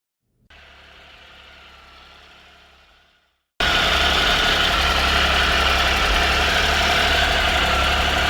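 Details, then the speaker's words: 2013 Triumph Tiger Explorer, 34,000 km, idling after cam chain, hydraulic tensioner and exhaust header gaskets replaced: smooth steady idle, faint even valvetrain tick about four per second, much less noisy. "so right now the engine is very less noisy and it doesn't make any like excessive ticking noise after this this"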